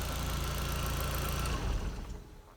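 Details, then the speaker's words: 1.8T Audi TT that kept dying down and stalling, now after fuel pump priming holds a steady, even idle, still slightly ramping but not dying; owner suspects the fuel pump; normal idle. "It's still kind of ramping, but no, it's actually sounding a lot better. Yeah, it's not dying."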